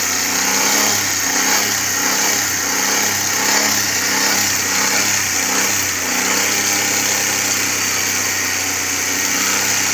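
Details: Carbureted Suzuki Cultus that misfired, dropped rpm and stalled after 10–15 minutes warm, now with new CDI and a Japanese ignition coil fitted: warm idle holds a steady, even beat with no stumble or dropout, running smoothly.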